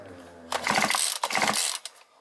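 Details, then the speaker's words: Two-stroke brushcutter/chainsaw that overheats and cuts out after 15 minutes, after gasket replacement with old rings: two pull-start bursts give ratcheting clatter with firm compression pops, as an intact gasket and seals should sound; normal compression. "відчуваються вже зовсім по-іншому. Такі хлопки мають бути при правильній роботі сальників та прокладки. Якщо прокладка ціла і сальники не пропускають, отакий звук має бути."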